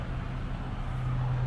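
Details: Hyundai Genesis G80 with recurring no-crank problem finally starts: low, steady rumble with an even beat, no knocks or misses, idling smoothly.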